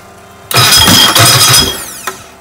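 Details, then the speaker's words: Rebuilt 1380cc Sprite/Midget race engine on test stand, cold day, full race gas, new Speedwell starter; brief strong crank catches quickly and barks to life; old starter used to jump out of engagement and spin backwards under compression, now starts cleanly. "so yeah by now the starter used to just when it ran into compression it would jump out of engagement and the Spragg gear would sort of allow it to spin backwards and it no problems with the starter"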